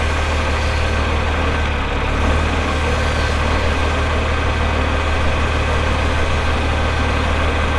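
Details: 1984 John Deere 4050 tractor with a JD 466 diesel, 3,342 hours, gives a deep, steady idle with an even low rumble and no knocks or misses. Normal idle.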